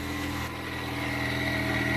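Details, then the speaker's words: Saturn Ion Redline idling after a replacement supercharger was installed; smooth idle with a faint, even high supercharger whine and no grinding or rattle, now sounding healthy. "Alright, much better already. And the supercharger sounds much better."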